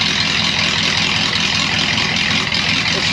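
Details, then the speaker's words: 1937 Ford with 59AB flathead V8, new recored radiator, straight-pipe dual exhaust, warming up, oil pressure near 30 cold: loud raspy steady rumble, even beat, no knocks or misses; lumpy idle, owner unsure if it has a cam; normal. "wow this thing sounds awesome i don't know uh i know it's got adjustable lifters i don't know if it's got a cam it or not the idle seems awful lumpy for if it's got a stock cam"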